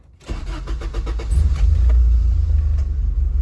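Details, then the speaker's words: 1996 Honda Accord with swapped engine, running poorly since the swap, MAP and crank sensor codes: after clearing codes, it cranks, catches, then climbs and hangs high and uneven instead of settling; idle surge after start, cause unconfirmed, 3000 rpm issue remains. "But I mean, it idles now. Sounds like it actually revs up."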